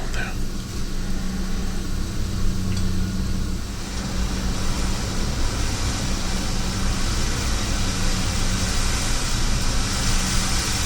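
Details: WMF pressure cooker heating, binaural recording: low rumble of boiling water with soft steam hiss growing stronger as pressure builds; normal steam venting.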